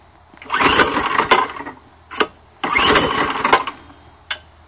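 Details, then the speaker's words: Choked, rear-pull recoil small gas engine on an electric-to-gas golf cart conversion: two hard rope pulls, each a short burst of rattling turnover with no firing, because the ignition switch was left off. "Gotta remember to turn it on."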